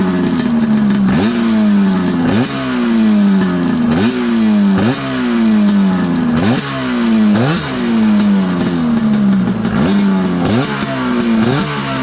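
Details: Arctic Cat F7 two-stroke snowmobile on stand after draining bad fuel and refilling with fresh mixed gas (oil confirmed in fuel), after earlier dying: repeated crisp throttle blips about once a second, revs rising and falling cleanly; runs healthy.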